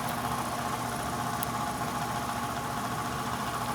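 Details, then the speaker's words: ICP/Heil heat pump air handler, no-heat call: loud steady whirring drone with rough uneven edge, motor a bit stiff; failing blower motor, replaced. "these are all crusty and rusty but maybe over yeah doesn't sound good [Music] I thought it was a little bit stiff fifteen fell by the sound [Applause] have to have a motor or replacement over to so let's go talk to the customer"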